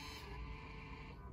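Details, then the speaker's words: 2015 VW Golf Mk7, electric parking brake released via XTOOL IP508 scan tool: steady even electric motor whir just over a second then tails off; normal parking brake motor retraction. "right now maybe turn off the climate control and maybe I will open the door so we can hear the the electric motor and that's moving"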